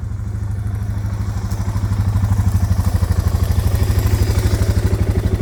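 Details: Suzuki DR650 single after winter, running after fuse and battery replacement: even regular thumping idle with no misses, knocks or hunting; engine healthy, no-start fixed.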